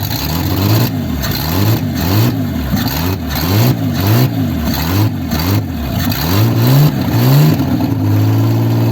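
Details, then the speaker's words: 1955 Ford Zephyr six-cylinder, first runs after 46 years off the road: steady idle rising and falling smoothly with repeated throttle blips, even firing with no knocks, misses or heavy smoke; engine sounds healthy. "yeah sounds good as well yeah it sounds good yeah I don't think it needs Much To Be Honest Engine wise"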